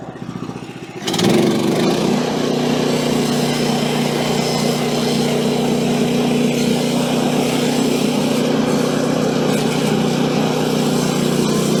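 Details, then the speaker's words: Woodland Mills HM130 Max portable sawmill, after tensioner bearing replacement following a nail strike, test cut on small silver maple log: engine picks up speed then holds a steady, even drone with no surging; fix confirmed, normal cutting. "All right, so no surging at all on that one. So that's good. It's kind of what I was hoping for."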